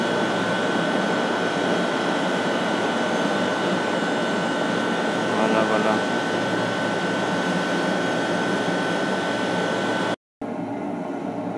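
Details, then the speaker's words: Steam boiler-house feed tank vent after the two large faulty steam traps on the heat exchangers were replaced: constant airy hiss of condensate flash steam with faint steady whistle, no surging or banging; normal, versus heavy spitting before. "Donc là on voit bien, là c'est la vapeur de revaporisation des condensats. Quand ça marche bien, ça doit faire à peu près ça."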